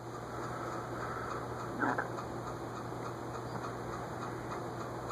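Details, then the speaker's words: SMC A52 52-inch vintage ceiling fan, bearings still stiff; light regular ticking several per second over low motor hum, owner notes the bearing ticking seems to be getting worse and plans more WD-40. "Almost seems like that bearing ticking is getting worse."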